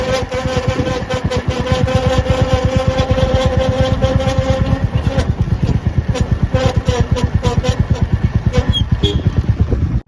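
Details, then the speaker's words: Royal Enfield Meteor 350 single-cylinder: steady rising-and-falling rubbing whine from rear brake caliper dragging on the disc; brake fluid fine, caliper part repaired and noise gone afterward. "इसके अंदर कुछ चीज जिस कारण वो disc पे क्या बोलते हैं घिसा रही थी। इस कारण वो आवाज आ रही जो आपने आवाज सुनी थोड़ी देर पहले तो इसको बदला लिया गया है।"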